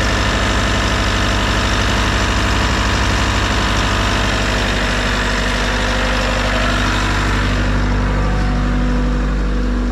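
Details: Bobcat T66 R-series track loader, Bosch fuel system, after fuel and air filter replacement and priming: steady low diesel chug at idle, even and unchanging, no misses or knocks; running normally, no leaks found.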